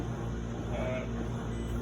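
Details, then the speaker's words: Insignia NS-FDRE67WH8A electric dryer after repair; it had been stuck with a buzzing, grinding motor and was fixed by knocking inside the motor. Now an even low motor and drum hum with no buzzing, grinding or rubbing; running normally. "bam dryer is working we hope we helped you out you don't have to buy a new dryer"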